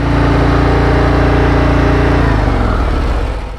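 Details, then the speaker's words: 2024 Harley-Davidson Road Glide V-twin revved in neutral after a brief limp mode and check engine light: flat, steady rev that won't climb past about 3500 rpm, then falls away; owner expected it to rev higher, cause unknown. "Oh, it only revs up to 3500. Interesting. I thought you could rev it up higher than that before. See, look. It only goes to 3500."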